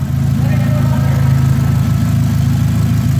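Steady, even low rumble with a smooth firing beat at idle and no knocks or misses; engine sounds healthy.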